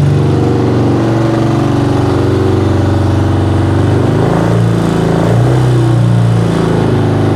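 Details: 1975 BMW R90 twin, first start after 12 years of poor storage, started right away on another try; steady, even low throb with no knocks or misses, a little smoke of unknown origin; running normally.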